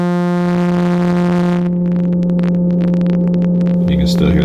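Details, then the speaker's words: Behringer Odyssey synth with failing green slider LEDs: a steady droning tone broken by irregular crackles and pops on all outputs (headphone, XLR, line out), with the distortion switch and effects off. Intermittent, worse the longer the unit is on; power adapter confirmed correct; cause not found. "crackling there which wasn't there before the distortion switch is not on and the effects are off and this sound is present on all the outputs the headphone the xlr and the normal line out"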